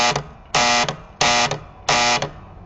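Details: Four harsh electrical buzzes from score reel number one of a 1967 Williams pinball, coil triggered manually bypassing the relay; new coils, not contacts; caused by misadjusted coil plunger stops, fixed by moving, shimming and replacing stop brackets.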